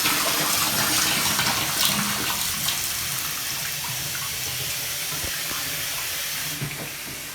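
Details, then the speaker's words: Bathtub faucet after replacing the tub water valve seat, water supply just restored: hot and cold turned on, steady hiss of flowing water tapering as the line drains, no squeal or hammering; valve working normally. "Come over, turn on the hot and cold water. And allow a few seconds to go by before that water actually comes out of the faucet, because we had it all off."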